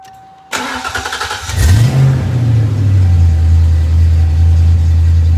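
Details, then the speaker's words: Fox that sat for years, first start after a frozen smog pump was freed: starter whir, catch and rev flare, then a low uneven loping idle. It is running rich; a base idle reset is planned. "Running rich right now, but we're there. It's running."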